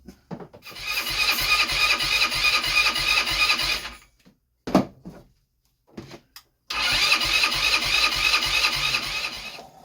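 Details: Blade 150 / RZR170-clone UTV, 150cc GY6 shortcase engine, previously seized, being revived: two bursts of fast, even starter whirring, three to four seconds each, no firing; cranks but won't start after starting fluid and a better battery were fetched.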